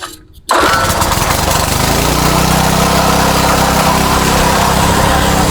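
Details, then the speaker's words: Craftsman tiller with a Tecumseh Eager-1 engine during carburetor speed adjustment without a tachometer: pull-start, then a fast, buzzy, steady drone. High speed seems a little high. Engine speed too high. "I can't find my T my tachometer right now but the low speed sounds a little high so I'm going to set the low speed the high speed I don't mind the sound of but the low speed sounds a little high"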